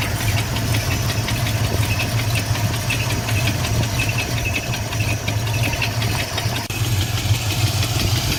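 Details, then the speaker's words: Fox body Mustang LX/GT convertible V8 with Holley carb, sat 6+ years: light regular tick-knock over a lumpy idle, worse inside, gone around 1,500 rpm; oil pressure drops after driving, cause unknown. "okay sounds definitely worse inside when I give it rpm he goes away definitely can't hear it right now probably 1,500 rpm"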